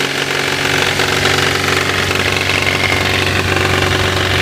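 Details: Toyota Levin AE92 with 4A-GE engine: steady idle with a light, uneven tapping over the engine hum at a few per second; an engine knock, source not pinned down.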